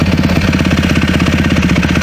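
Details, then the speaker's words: Yamaha YZ450 dirt bike after carb rebuild with new mid-body gaskets: uneven, lumpy, sputtering low idle, bogging off the bottom while strong on top; owner suspects overly rich pilot circuit jetting. "So great on the top end. But off the bottom is just falling on its face bad. Spluttery."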